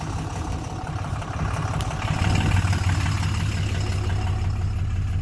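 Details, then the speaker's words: 2007 Dodge Ram 2500HD 6.7 Cummins, just restarted after codes cleared, starts right up; no crank/no start fixed with remanufactured ECM, original TIPM; EGR deleted, aftermarket parts. Steady low diesel clatter settling to smooth idle, no misses or knocks: runs well, normal idle. "so yeah it runs awesome for what it is"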